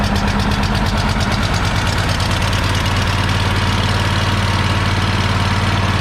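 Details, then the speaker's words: Free Troy-Bilt riding mower, possibly weak starter: steady even low small-engine rumble with no misses or hunting; runs healthy, though belt smells burning, likely wrong belt; normal running. "There it is. So yeah, it runs and moves."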